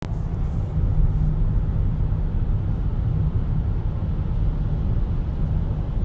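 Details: 2014 BMW X3 at 50–60 mph: low, steady droning hum under road rumble, caused by a bad wheel bearing/hub.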